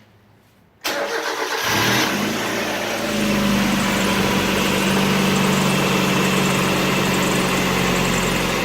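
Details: Mazda Miata (1.6 or 1.8L) after valve cover gasket replacement and spark plug wires reinstalled: quick crank, catches and settles into smooth even idle, no ticking or knocking; no fresh leaks, healthy.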